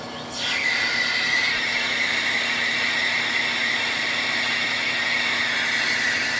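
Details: Lathe turning a hardened-steel GM 12-bolt axle bearing journal for C-clip eliminators, slowed to 250 rpm to stop chatter: steady, even high squeal with no rattling chatter, normal for hardened steel.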